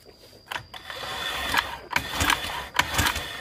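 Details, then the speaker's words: 2015 Honda Vario 125 that died suddenly while parked, indicators normal, kick-started after fitting aftermarket part: uneven strokes about eighty a minute without catching; no spark. "tetap keluar J tetap enggak keluar Ya teman-teman apinya tetap dia enggak mau keluar"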